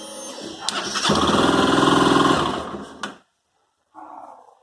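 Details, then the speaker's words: Honda CB 300 motorcycle on starting: starter whirs, then the single catches with a rough, clattery burst, harsher than it should be; owner reports clicking inside the engine on cold morning starts, cause unclear. "aqui eu vou mostrar pra vocês o barulho que a mota fazendo na hora que você dá a partida para ver se alguém sabe me informar que o aluno pode ser isso"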